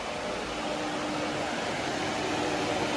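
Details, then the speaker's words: Fiero replacement electric radiator fan wired to the ignition: a steady, even rush of air with a faint hum, no rattle or scrape, not too loud; healthy. "can feel it from here and it's not too loud it sounds like any modern car"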